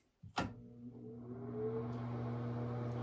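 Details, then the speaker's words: Bathroom exhaust fan after replacing its motor and fan wheel: a switch clicks, then a smooth, quiet hum with soft airflow. Operation is normal, far quieter than the earlier rattling. "so I'm going to turn this on for one last time just it's so satisfying to hear how quiet it is compared to what it was"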